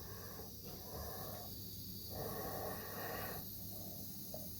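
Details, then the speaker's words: Bleeding a home radiator heating system after flush and valve replacement, boiler isolated: steady airy hiss in surges from the bleed screw, no water spitting yet; trapped air venting, waiting for water to arrive. "so I'm just going to bleed the system a little bit let's see okay I can hear the air I could feel the air coming through I'll just wait for the water to get there"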